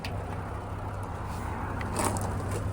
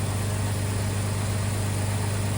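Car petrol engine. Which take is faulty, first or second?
first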